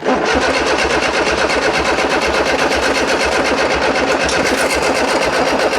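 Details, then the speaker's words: Freshly built 1330cc A-series engine in a Classic Mini, first start after fuel spill on cranking, 50 psi oil pressure: catches and runs lumpy with an uneven pulsing beat about four a second; owner suspects ignition timing is wrong. "think I've got the timing wrong, to be completely honest."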